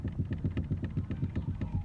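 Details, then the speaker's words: Mitsubishi Lancer X steering rack knocking while driving over a pothole: dull knocks through road rumble as wheels hit the bump; worn steering rack. "Сейчас вам покажу, как она стучит. Заехал на СТО, сказали 4000 гривен минимум."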